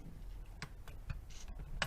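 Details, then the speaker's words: Rochester Quadrajet 750/800 cfm 4-barrel carburetor, overhauled and reassembled, throttle worked by hand: a few soft ticks of the accelerator pump stroking, working fine. "you could even hear it you could hear that motion of the accelerator pump so that's working fine"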